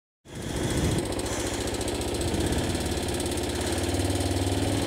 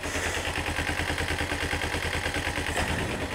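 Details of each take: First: Kawasaki ZZR-250 (EX-250H) small twin at idle: fast light metallic ticking that sounds like the valves need adjusting, but the valves checked fine; the automatic cam chain tensioner, prone to clogging, is not tightening the cam chain. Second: Kawasaki ZZR-250 (EX-250H) idling after removing, cleaning and reinstalling the clogged automatic cam chain tensioner: the metallic ticking is gone; crisp, even exhaust beat, no top-end clatter, running much smoother.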